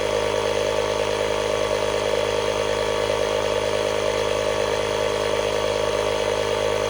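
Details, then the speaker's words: 12V tire inflator powered from Hulkman Alpha Pro jump pack's socket at 50%, inflating a tire: steady, buzzy motor drone with constant pitch and no stumbling; inflator running normally, using about 1% of pack charge. "All right. Looks like it's powering it up with no problem. All right, it's working. It's at 50%."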